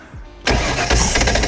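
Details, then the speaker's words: 1993 Sport Nautique boat, unused for years, in a crank test out of the water after trying to get most of the old gas out: the engine catches with a rough burst of injector firing, then fades out and won't run; owner suspects clogged injectors. "Oh, they're firing now. But you see how they start firing and then it like fades out? I think they're clogged."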